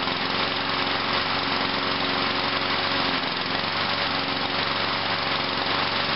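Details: Craftsman mower with new starter rope, after a pre-primed cold start: settles into a steady, even buzz with no misses or knocks, engine running normally.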